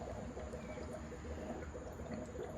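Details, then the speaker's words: 1989–1992 Chevy S10 with 2.5L four-cylinder, idling well after a good start while in for hesitation: soft, irregular gurgling trickle over the low rumble, coolant bubbling from a suspected blown head gasket, heard coming from one spot. "Oh. Coming from there. That's one clue."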